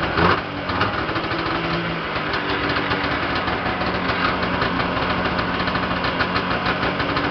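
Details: Yamaha Enticer 340 two-stroke, first start after rebuild (new Wiseco pistons and bearings, Hot Rods rods, custom forged balanced crank, Uni filter): busy, crackling idle holding steady with a few light throttle blips; healthy and even, very smoky.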